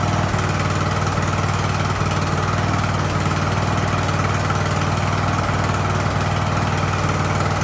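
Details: Ariens hydro-drive riding mower, sat at least two years, in about 30-degree cold: steady, even low thrum with a smooth unbroken beat and no stumbles or surges; engine idles cleanly and healthily.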